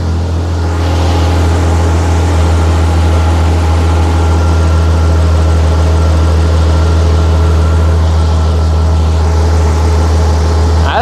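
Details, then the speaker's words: Jeep with a replaced exhaust manifold after its bolts were retightened to cure a racing idle: steady, even idle at 800 rpm with a smooth low drone, no knocks or misses; running normally. "yeah idling steadily at 800"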